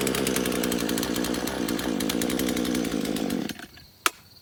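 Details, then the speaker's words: Craftsman chainsaw two-stroke, first start after about five years in a shed: buzzy unsteady idle that sags and cuts out, runs only on choke, seems not picking up enough fuel. "okay so it only wants to run with the choke on oh okay so let's just see how long it'll run"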